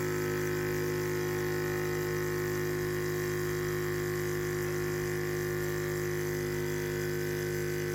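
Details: Yong Heng high-pressure compressor, first test, timed run from about 1,000 PSI toward 3,000 PSI: steady even motor drone with constant low hum and fixed tones, no knocks or surging; running normally.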